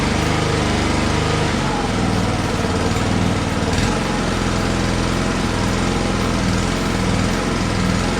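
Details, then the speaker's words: Lawnmower after no-start repair (misplaced carburetor gasket corrected, suspected water-contaminated fuel drained, fresh gas): loud even buzzing drone, no misses, surging or knocks; runs smoothly. "But she's good to go now. All right, well, that's it for this video. We fixed the issues with the carburetor."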